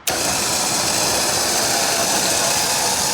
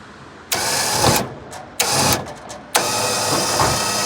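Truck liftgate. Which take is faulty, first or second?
second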